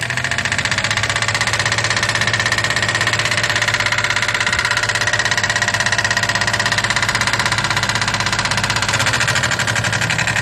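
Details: 2008 Daihatsu Move L175, naturally aspirated KF engine, 4-speed automatic, 180,000 km, heavy oil consumption (1 L per 1000 km); light, even metallic knock at idle after power loss on highway; loose No. 2 piston pin, large play found on teardown.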